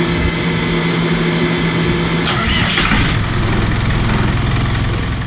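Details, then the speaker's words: Sailboat diesel engine that had failed to start earlier, restarted after battery hookup: starter catches, fires promptly, settles into steady even idle with no misses or knocks; possibly a one-off glitch. "Sneaky engine. Sure, it fired up that time, no problem."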